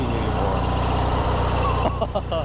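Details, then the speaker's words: 19.5 hp opposed-twin riding mower after a carb cleaning, fired up easily, runs with a loud, steady, even low thrum and no misses or knocks, not smoking, moving under its own power for the first time; normal running. "Dude, she fired up easy, too. And it's running good."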